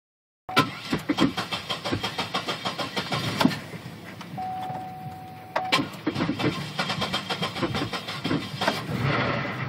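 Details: 2005 Chevrolet Impala start-up while searching for a knock: starter churns about two seconds, stops, churns again, then catches into rough idle; a knock seems present, not pinned down.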